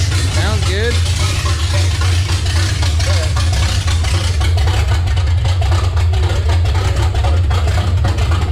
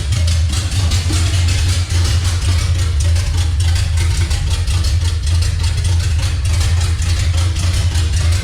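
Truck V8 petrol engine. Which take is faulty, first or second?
second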